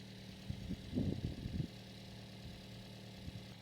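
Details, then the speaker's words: 2007 Toyota Yaris, 205,000 miles, idling after all four fuel injectors were replaced, heard through a stethoscope on an injector: a soft, even, distinct ticking pulse; the injector fires normally and no check engine light is on. "Yeah, I hear that pulse. Pretty distinct."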